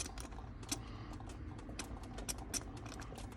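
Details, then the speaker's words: Ferrari 360 Modena coolant system being bled after a breakdown, engine off after warm-up with heater on high: irregular spitting, crackling sputter from the bleeder valve as trapped air escapes ahead of coolant; air trapped in cooling system. "Just gonna bleed this one more time with the engine off. A little more air coming out. You can hear it sputtering."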